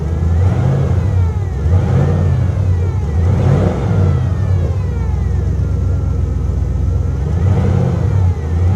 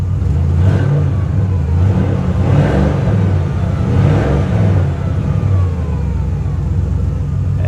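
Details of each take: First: V8 car at a salvage yard, revved in several blips; revs swell unevenly. It runs almost like it has a cam, though the owner thinks it is probably stock and suspects ethanol gas sitting since January; rough running. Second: 2017 BMW M240i salvage auction car with a light rear bumper hit and hail dings, given a couple of throttle blips: a deep, even engine note that settles back cleanly with no knocks or misses. It sounds healthy.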